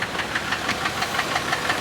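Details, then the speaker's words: Used car with almost 146,000 miles, just driven to the lot, burning-plastic smell noted: sharp metallic ticking about six times a second over the idle, possibly an engine knock; cause suspected, not confirmed. "we are definitely knocking a little bit, maybe."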